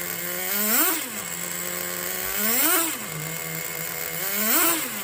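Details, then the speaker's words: 2006 Traxxas Nitro 4-Tec (Model 4809) with rebuilt TRX 3.3 engine, warm, running with the body on: steady idle with quick blips rising and falling cleanly about every two seconds, picking up crisply; normal running. "Motor's already warm on this sucker. This is running a Nitro 4-Tec with the body on her."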